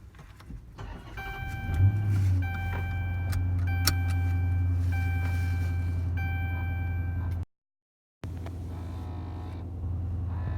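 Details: Whining noise at every engine start on a 2014 Dodge Charger R/T V8: a steady whine rides over the start and settling idle, then stops within a few seconds; owner unsure of cause.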